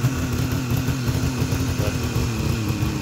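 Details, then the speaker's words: 1973 Suzuki GT550 two-stroke, 5,800 miles, cold start on second kick, a little throttle given, choke off: busy popping burble idling a touch low yet holding steady idle on its own; normal cold idle. "so there we go second kick I did give it just a little bit of throttle choke still off so that's why it's idling a little low right now"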